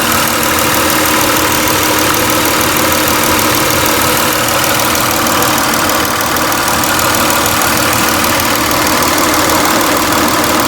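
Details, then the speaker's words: 2002 Toyota Camry V6 idling after installing an oil catch can with new 3/8-inch fuel line hose on the PCV valve, replacing collapsed hoses; smooth steady idle with even hum, no hiss or vacuum whistle; normal idle. "i really could use any grommet they don't really hear any hissing"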